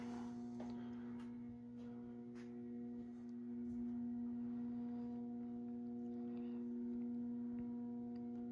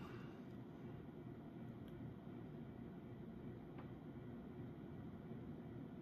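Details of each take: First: Early-1980s CEC-made Moss Heirloom Olympus 52-inch ceiling fan on low, about 55 RPM: loud, steady low hum with strong overtones over a soft whoosh; pronounced buzz from the variable speed control. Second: Early-1980s CEC-made Moss Heirloom Olympus 52-inch ceiling fan at full speed, about 165 RPM (motor rated 250): steady soft whoosh with only a faint hum; bearings good and normal running, far quieter than on variable speed.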